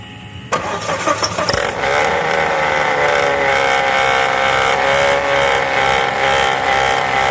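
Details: 2005 Volvo V70 alternator clutch pulley that wobbles side to side, with the alternator bearing also bad. After start-up a steady whirring whine with a rough, rattly edge rides over the idle; worn alternator clutch pulley and bearing.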